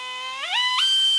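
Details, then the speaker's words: Small pneumatic drill with sensitive variable trigger, for drilling MK5 Jetta B pillars: whine sweeps quickly to high steady shriek then cuts off; too fast, risks burning bit and hardening metal. "So it's a variable trigger, and that's probably too fast."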